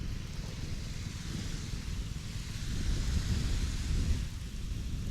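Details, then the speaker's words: Repaired Predator 79cc 1-inch water pump, now with a fitted air filter, pumping rainwater at about half throttle: steady, even small-engine drone with wind and water noise behind; running healthy. "But see, it's only running like half throttle."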